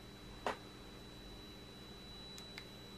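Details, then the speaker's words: Nitecore LR30 flashlight powered on after it stopped working and then revived: thin, steady high-pitched whine with a few soft clicks from the DC-DC converter's inductor coil. "pretty strong sound from the DC to DC converter I don't expect it to be so noisy and I don't remember that it was noisy"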